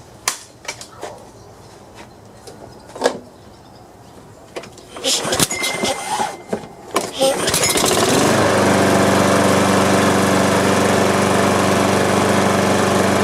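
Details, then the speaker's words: Free Craigslist Troy-Bilt lawn mower, fresh gas added, first start: a few pulls then it catches and settles into a steady, even run with no misses; normal running. "well that cranked up pretty easy not bad so i guess it's just a big cleanup now"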